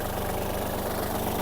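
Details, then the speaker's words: Kubota GL-29 Japanese mini tractor, 29 hp three-cylinder diesel, started with the clutch pressed: it started without trouble and settles into a steady, even diesel clatter at idle with no misses or knocks. No white smoke from the breather; normal idle. "Давайте ми його заведем та послухаємо Як працює двигун вижимаємо щеплення та заводимо завівся без питань"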